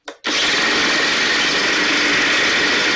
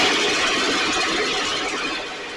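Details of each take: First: STIHL backpack blower (believed 6R450), new air filter and spark plug fitted, recoil off. High-revving two-stroke cuts out for seconds then screams back up; runs lean, needs occasional choke to keep running; small amount of water found in tank. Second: STIHL 6R 450 two-stroke backpack blower after cleaning and repair (idle had fluctuated and could not be adjusted): steady high-pitched roar holding even revs, tapering slightly at the end, running much better though still loading up slightly, with carbon buildup suspected.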